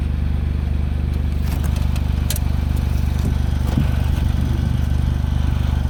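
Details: Smart Roadster small petrol engine at steady idle with a light, even clacking about two per second; owner asks if normal, suspects valves or timing chain.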